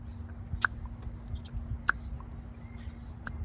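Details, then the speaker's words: New secondary air injection combi valve for Audi/VW 4.2 V8 (P0491/P0492), vacuum applied by mouth: sharp single taps about every second as the valve snaps open cleanly; the old one would not hold vacuum. "do you hear that crisp little tap let's see if we can actually see what happens to it maybe in the bottom you can see it moving a little bit and you can obviously hear it"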